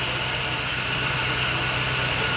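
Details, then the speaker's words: Chevrolet Agile that had been misfiring despite new coil, leads and plugs; after the repair and scan showing no fault codes, the engine idles steady and even with no stumbles or weakness, a normal idle. "O carro parou de falhar. O carro parou. Não falha mais, não tem fraqueza,"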